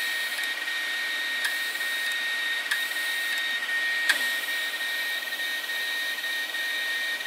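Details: Several hard drives that failed over three years, including a screeching 2.5-inch disk: steady high whine broken by sharp, irregular mechanical clicks from the failed drives.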